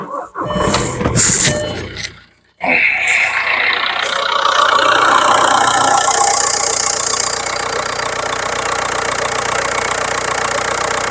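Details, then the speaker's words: 2005 VW TDI diesel started and idling, broken vacuum hose removed and capped, vacuum gauge on pump (spec 28 inHg at idle) to test for hard brake pedal: brief crank, catches, settles to even clatter without misses; normal idle. "So we're going to idle the vehicle. Good spec for this is 28 inches of vacuum at idle. Let's fire it up."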